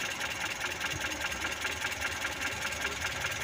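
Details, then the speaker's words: Mitsubishi Colt T120 with distributor (delco) turned too far left: dull, snoring idle with a regular pulse two or three times a second and a hint of pinging; ignition timing too retarded, engine loses power. "Nah di situ napur teman-teman tenaganya berkurang atau suara k sepertioroknya babi kalau buri bahasanya itu kurang kalau buat tanjan ngekrek teman-teman kurang kurang mesinnya kurang kuat"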